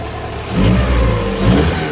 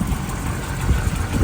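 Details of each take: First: 1990 Honda CRX HF with tired engine, distributor bolts not all in, timing unchecked: engine blips up and settles back a few times, pulling cleanly with no knocks or misses; sounds healthy. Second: 1990 Honda CRX HF with a tired engine, jump-started; rough, uneven idle with irregular low thumps and stumbles as a cylinder drops out, misfiring at idle. Cause not confirmed.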